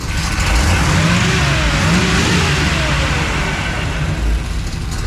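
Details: Freshly built small block V8 with Comp Cams XE268 cam in an '85 C10, after cam break-in, timing and carb not yet tuned: deep, lumpy throttle blips rise and settle cleanly with no knocks or rattles; sounds healthy.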